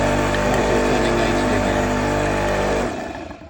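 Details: Karcher K7 pressure washer after replacing motor capacitor (had stopped turning and blown fuses): steady even motor hum with smooth pump note for three seconds, then clean wind-down; runs normally.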